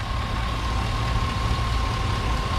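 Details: Chevy Silverado 1500 ex-fleet work truck after new alternator, belt, pulleys, tensioner and battery: smooth even low idle with faint steady whine, no chirp or squeal; running healthy.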